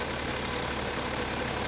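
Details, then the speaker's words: BMW E60 at 192k miles with the original alternator and power steering pump: at idle, a harsh metallic grinding from the right side of the engine bay; owner is unsure whether the alternator bearing or the power steering pump is at fault. "all right guys so i've got this kind of strange metallic grinding noise here coming from either power steering pump or"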